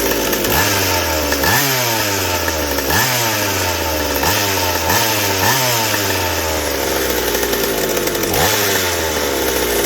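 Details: McCulloch 790 chainsaw with MC101 kart engine, header and pipe, tuned with bar and chain on: repeated blips climb fast to a clean screaming top with no four-stroke burble; carb underfeeds at high speed, running lean.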